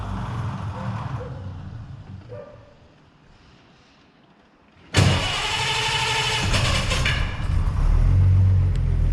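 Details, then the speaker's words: 1933 Hudson Terraplane: quiet spell, then catches quickly and settles into a steady, even idle with no knocks, ticks or rattles, only fan belt or fan wind heard; healthy. "beautiful it's just there's not a a tick a rattle or anything I think you can just hear the fan belt going around or the wind from the fan"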